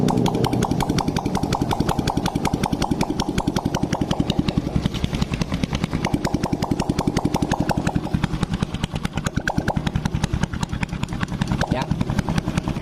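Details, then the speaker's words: Honda Blade motorcycle after new boring and head fitted to cure oil smoking, exhaust removed: sharp even popping idle about two and a half beats a second; engine sounds smooth, normal idle. "pun suaranya lembut berarti permasalahnya fix di bagian knalpot tinggal ya"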